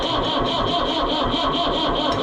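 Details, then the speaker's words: Oliver 1365 diesel tractor that quit in the field with half a tank of fuel: steady starter cranking with even compression pulses, about four a second, never catches and no smoke; owner suspects the injection pump. "We can, for fun, we can try to start it now, but I doubt that it's going to start."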